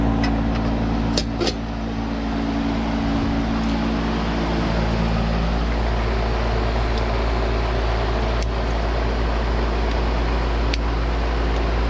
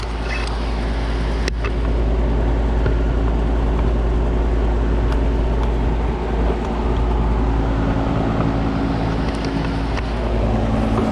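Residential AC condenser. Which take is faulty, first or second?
second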